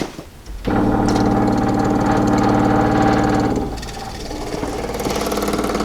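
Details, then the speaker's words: 1937 Ford V8-60 flathead, new 6V electric fuel pump replacing the worn stock mechanical pump, switched on to fill the filter: quick, steady ticking about three or four a second, about 2.5 psi; normal electric fuel pump operation. "popping it's pumping like a son of a gun"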